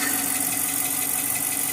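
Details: 2010 Chrysler 300C engine at idle: steady hum with a light, fairly even tap underneath. A knocking sound whose source is unclear.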